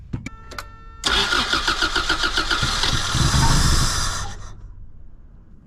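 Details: 1987 Toyota Corolla FX16 GTS, odometer 191, cranks but won't start despite a newly replaced fuel pump: starter churns at about four even compression beats per second for three seconds and never fires, as no fuel is reaching the engine. Later traced to pump wiring through a relay to the defroster switch, a suspected kill switch.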